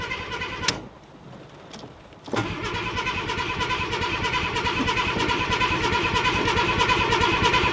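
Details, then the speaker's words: Ford Granada Mk2 2.8 V6 Ghia X, automatic, parked 20+ years, cranking in the rain hoping the mechanical fuel pump draws fuel: starter churns steadily for several seconds but engine never catches; crank, no start, cause unconfirmed. "Come on. Come on. We're not getting nothing, are we? We're not getting nothing."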